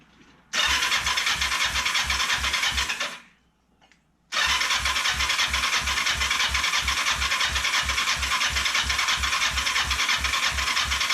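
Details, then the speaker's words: Kawasaki Ninja 500 that cranks but won't start (title says spark and compression present) after fuel was added; the tank leaks and the fuel line curls oddly. Even cranking near three beats a second, a pause, more cranking, no firing; fuel starvation suspected. "It's not making any attempt to start."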